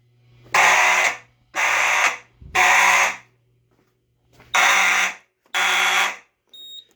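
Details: EST Genesis horn strobe on an EST/Edwards IO-64 fire alarm panel, triggered from a pull station during a monthly shed system test: harsh, raspy horn blasts in roughly one-second bursts with short gaps; sounding correctly on alarm.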